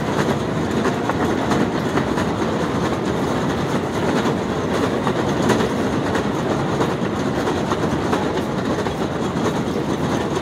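Continuous loud clatter with an uneven rhythmic clack over the running drive; the escalator is noisy, cause not clear.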